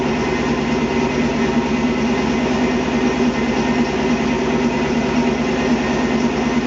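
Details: 1997 Ford F250 HD 2WD, 351W 5.8L multiport EFI V8, 5-speed, modified (MAP sensor vacuum control, throttle cable shimmed): loud, steady rumbling idle with an even burble through an open exhaust, no knocks or misses; normal idle.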